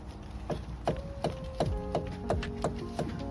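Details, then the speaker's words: Volvo V50 front driveshaft turning with sharp regular clicks, nearly three a second, from a worn driveshaft joint; the driveshaft needs replacing. "quite clearly hear that clicking sound so it needs to be replaced"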